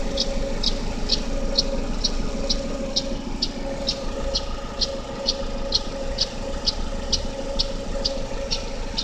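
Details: GM Daewoo Lacetti 1.5L DOHC inline-4 (E-TEC II F15D3) at cold idle: sharp, light ticks about twice a second, heard loudest between the exhaust camshaft pulley and the power steering pump. The tick disappears after 15–20 minutes of running; cause unknown.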